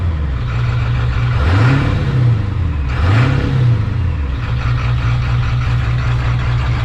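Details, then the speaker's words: 7.3 Powerstroke swap engine first running, stock bypass mode without correct tune: two quick throttle blips, revs climbing cleanly and returning straight to a smooth even idle; engine responds well. "even with it in the regular stock bypass mode and you hit the throttle the response is"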